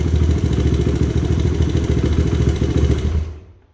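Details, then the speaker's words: 2000 Honda XR100 with a BBR 120 big bore kit, cold start the next day during break-in with the pipe ice cold: settles into a steady, even thumping idle with no misses or clatter, then shuts off cleanly. "So honestly, it started easier than I would have thought cold, which is awesome. It idles great, it runs great, it has tons of power for a 100, I guess a 120."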